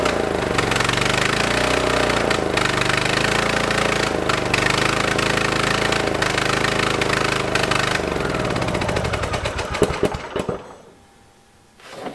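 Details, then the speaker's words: Free lawn tractor small engine after fresh ethanol-free higher-octane fuel: screams at high uneven revs like a runaway diesel, loud raspy exhaust, won't idle down; owner suspects exhaust manifold leak or burning old fuel, unconfirmed. "it is unbelievably loud it sounds like it has a horrible exhaust leak right at the exhaust manifold and it will not idle down at all"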